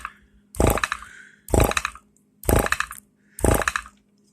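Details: Electric power-brake vacuum pump with a new one-piece adjustable shut-off relay and muffler: loud, harsh buzzing bursts about once a second with short pauses. Normal vacuum pump cycling.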